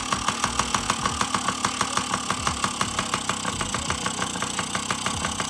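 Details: 2008 Yamaha PW50 kids' two-stroke, kick-started: ticks over with crisp, fairly even popping at about three beats a second; a healthy, settled idle.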